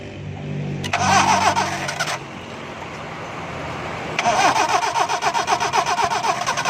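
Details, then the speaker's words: Car cranks in two bursts with a steady rapid chug, about four turns a second, but never catches after an engine pressure wash. Crank-no-start with water found in the ignition. "Right लेकिन गाड़ी दोस्तों start नहीं हो रही"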